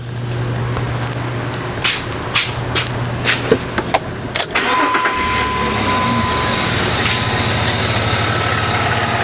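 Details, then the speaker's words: Engine after a faulty ignition coil was replaced with a good coil (labscope coil ramping test): clicks, then it catches after about four seconds and settles into a smooth, steady idle with no stumble. Normal idle. "start the engine now you can see we've got a good coil if you can hear this on the video the engine is now running smooth"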